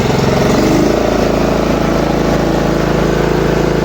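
A small mower engine catches and settles into an even, steady putter with no surging or hunting.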